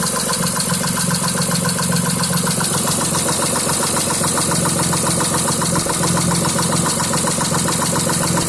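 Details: 2006 Mitsubishi Eclipse at idle: regular ticking knock, two to three per second, started right after an oil change with Royal Purple 5W-20 plus new cam and oxygen sensors; now misfire code for cylinder 5, cause unknown.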